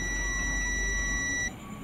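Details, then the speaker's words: An SMD capacitor removed from a dead Ashley audio mixer (only the indicator lit) makes the multimeter hold a steady high beep for about a second and a half, showing a short; a good capacitor beeps only briefly. "Berbeda dengan kapasitor yang saya lepas dari mixer aslinya. Lihat, yang ini berbunyi bip."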